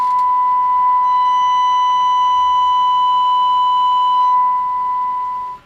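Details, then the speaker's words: Clean, steady, strong 1 kHz test tone with no crackle or dropouts from a President Washington CB base station after cleaning the relay that caused its intermittent AM no-receive and no-audio fault; receive now reads S9 and audio is normal. "uh but yeah that's the culprit usually all right that's an S9 I can hear the difference"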